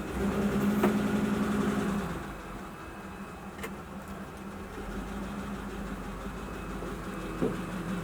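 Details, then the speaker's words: 1941 pickup, soaking wet engine after heavy overnight rain and mild weather caused a no-start; after compressed air and a heat gun on the distributor, it settles from a louder catch into a steady, even low run, no misfire or knock, steam rising off the manifold. "look okay that's good it's running can you see all the stains coming off"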